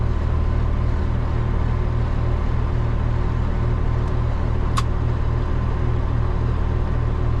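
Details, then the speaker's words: Old cabover diesel truck with new alternator belts, heading out loaded at night: deep even diesel rumble under load, no squeal or chirp; belts no longer squeal, normal running. "I'm glad those aren't squeal anymore. I can tell you that much right now cuz that would have uh I would have went nuts."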